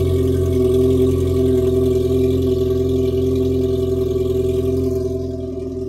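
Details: 2019 Yamaha GP1800R supercharged 1.8L WaveRunner, 135 hours, after supercharger clutch replacement: smooth, even idle with a clear steady supercharger gear whine that fades slightly as revs drop; normal, healthy.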